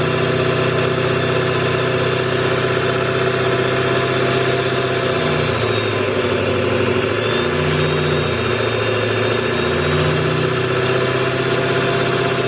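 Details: Duramax LML diesel with a new long block, held near a steady 2,000 rpm outdoors for a 5-minute break-in cycle: even drone with no knocks, ticks or misses, and no big puddles. Normal running at raised idle.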